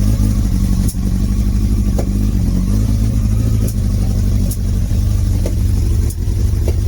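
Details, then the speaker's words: Motorcycle being brought back to life, air filter off, first start: cold engine idles rough with low burbling broken by sharp pops roughly every second as the other cylinder struggles to come in, slowly evening out. "Yeah, struggling. It'll go though. You'll hear that other cylinder trying to come in."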